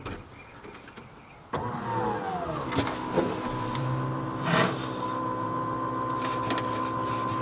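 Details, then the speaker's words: Nissan S14 at key-on, engine not started, after installing a Walbro 255LPH in-tank fuel pump: a steady high electric whine over a faint hum, the new pump priming normally. "all right well I did it correctly should hear the fuel pump priming right now"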